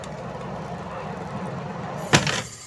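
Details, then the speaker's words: Eureka 6.8 spin dryer after repair of a no-spin fault, back cover off: steady drum hum, then a sharp clack as the lid lifts and the spin stops quickly; brake and lid cutout work properly. "So yun. Pumbreno."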